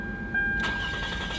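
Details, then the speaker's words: 2004 Toyota Camry 3.0 L V6 after starter replacement, battery terminals cleaned: brief crank then engine catches at once and runs evenly; new starter good, normal crank and start. "there we go all right runs good 2004 Toyota Camry with a 3.0 liter engine starter is good"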